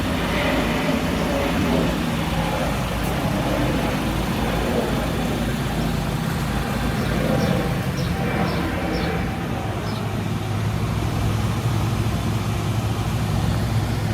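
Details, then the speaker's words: Honda Civic hatchback that wouldn't start, now running on stock ECU after its leaking capacitors were replaced: engine runs steadily with no knocks or misses under outdoor noise; normal running after repair. "i'm happy to report that this uh hatchback now runs"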